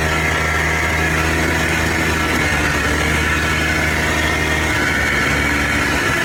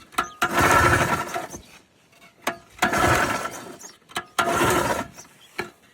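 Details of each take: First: Polaris Trail Boss 250 4x4 ATV rescued from the scrap yard, previously wouldn't fire on spray; loud, steady two-stroke buzz holding even pitch with no misses or stalling; runs and drives normally. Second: Polaris Trail Boss 250 4x4 ATV rescued from scrap, being started after earlier work: three or four recoil pulls, each a short rasping spin dying away without catching; cranks but won't fire, choke tried next.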